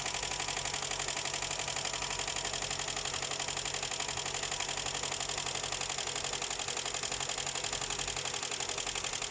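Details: Honda Accord 7 petrol engine idling, hood open, with a steady sharp ticking knock near four beats a second; owner says the engine knocks, oil pressure light not on.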